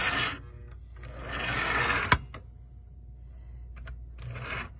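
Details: 1935 Mi-Loco K5 Pacific O-scale outside-third-rail locomotive, open-frame motor, manual reverse, rusty and dusty barn find: motor whirs in short, uneven spurts with quiet gaps and a sharp crack between, so it runs jerkily stop-start.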